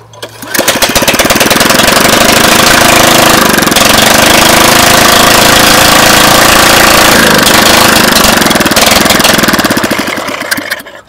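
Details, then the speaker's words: 2001 Briggs & Stratton OHV 5 hp chain-drive rototiller, running without a muffler after too-tight valves were adjusted: loud, sharp, even single-cylinder firing at steady speed. Fixed; normal running. "there we go she's fixed that's all the problem it was the valves they were too dang tight"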